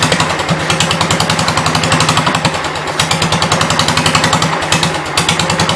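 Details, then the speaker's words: 1972 Gravely 430 single-cylinder engine, one valve (owner assumes exhaust) previously stuck, fuel-starved and running only on sprayed carb cleaner: rapid sharp firing pops at a fairly steady beat; owner wonders if it flooded, fears backfire. "Guess I'll try and get it to stay running on carb cleaner. Maybe split second to go from side to side ain't going to let me do it. Did it flood?"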